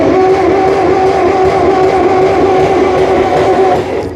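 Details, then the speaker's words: 1958 Massey Ferguson TO35 tractor, 6-volt system on a 12 V battery, in neutral, long-dry fluids refilled: starter whirs steadily for about four seconds as engine spins freely without firing; engine not seized, no fuel yet. "Looks like it's spinning."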